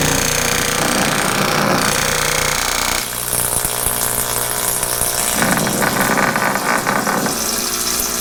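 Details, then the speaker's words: Tuttnauer 2540EA autoclave fill pump, bench-tested from a bowl of water after its solenoid was disassembled and cleaned; it had stopped making noise, passing little water. A loud steady mains-rate buzz with a rattly chatter as it moves water, working properly. "it used to make a noise like this but as of yesterday it was making no noise and there was a very little bit of water coming out"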